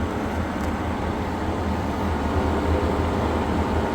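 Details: Old rusty, dust-caked 12-inch exhaust fan found in storage, running at full speed: deep constant drone with rough rumble beneath, sounding worn and noisy; cause suspected, not confirmed.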